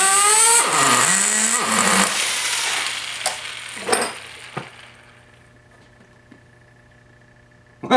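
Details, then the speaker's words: Rebuilt T-Maxx .15 nitro RC engine after fixing missing copper glow plug gasket and loose glow plug: high buzzy engine screams and sags through a few revs then fades; fires and runs, though the starter one-way bearing still slips. "it does run as a matter of fact. Excellent."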